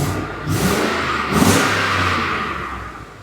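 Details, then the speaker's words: 2014 Ford F-150 5.0L Coyote after repairing its bank 1 misfires (P0300/P0301/P0304): the V8 starts, revs cleanly in quick snaps, then idles smooth with no misfire. Fixed. "It's fixed. Is it misfiring at all? We're smooth?"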